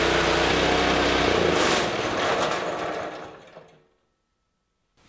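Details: Small single-cylinder engine on a greens iron roller, reassembled and cleaned, started on fresh gasoline with choke on and drive belt off: fast, steady chugging beat, then dies away to silence; normal running.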